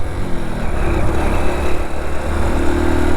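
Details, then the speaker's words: Motorcycle riding steadily in third gear, then fourth at 40 km/h: a low engine drone on the move with no jerks, knocks or change in note. The bike pulls smoothly in gear. Normal running. "लेकिन तीसरे gear में अगर मैं non stop ऐसे ही continue कर रहा हूँ तो बाइक में देखो कुछ फ़र्क नहीं आ रहा।"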